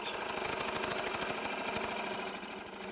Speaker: You don't want any chatter. When you turn, you listen, and you can hear that little knocking noise right now. That's because I'm turning into an area where there's a shadow or a void where it's not completely round.